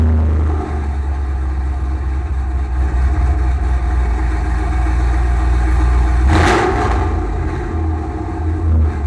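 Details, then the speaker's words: 2006 Pontiac GTO V8 after header and mid-pipe install, cold start: deep, even burble at fast cold idle with one brief throttle blip; smooth rumble, no ticks or leaks; healthy exhaust. "sounds great for the outside especially in the cold startup and my neighbors are going to love me for this"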